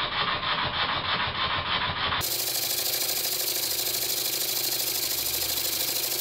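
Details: Very old Stuart S50 steam plant engine, reassembled with a new valve rod and valve timing set fairly accurately. Crisp, even exhaust chuffs at roughly three per second over a steady hiss. Normal running with plenty of power.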